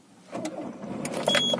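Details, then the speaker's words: Peugeot 307 1.4 with Sagem S2000 ECU, immobiliser unlocked after a faulty BSI module blocked starting; a brief crank catches in a fraction of a second and settles into an even run. Clean, healthy start after repair. "Παίρνει μπρος και στροφάει πάνω από 3.000 στροφές, γιατί άλλοι είχαν πρόβλημα και δεν πήγαν πάνω από 3.000 στροφές."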